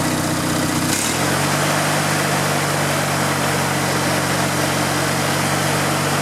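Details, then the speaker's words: Riding lawn mower engine started on choke with fuel pushed through the filter and kill wire unhooked: it catches after a second, then holds a steady, even drone with no misses; it runs healthy. "cap back on choke on everything's clear brakes on it and there we go oh it runs nice"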